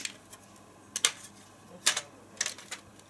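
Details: ZX Spectrum keyboard with the membrane replaced by a 0.8 mm board of 1.5 mm tactile buttons: crisp, sharp individual clicks at an uneven pace, each cleanly defined; buttons actuate properly.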